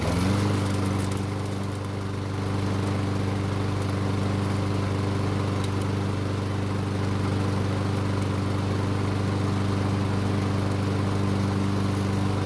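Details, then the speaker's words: Free Lawn Boy mower after its gummed choke flap pivot was soaked with carb cleaner: catches at once and settles into a steady, even drone with no surging or misfires; runs extremely well after the repair. "So it started right up and ran extremely well, but unfortunately we have a new problem."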